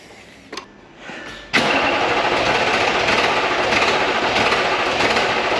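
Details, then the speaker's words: VW Touareg V10 TDI twin-turbo diesel, first start after two-month engine reinstall, tuned ECUs, deleted, open straight downpipes: brief crank, quick catch, loud raspy open-pipe idle settling smooth and steady, no misses or knocks; healthy. "That's open downpipe right now. Really not that loud."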